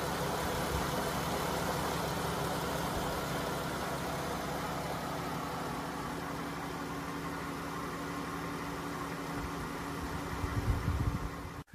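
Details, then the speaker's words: 2013 Chrysler Town and Country after power steering reservoir replacement, flush with Mopar ATF+4 and bleeding: brief initial noise until fluid circulates, then smooth even idle with low steady hum and no pump whine; power steering runs quietly. "all right so so when we fire that up we heard a little bit of noise initially and you're going to hear that until the fluid goes through the system"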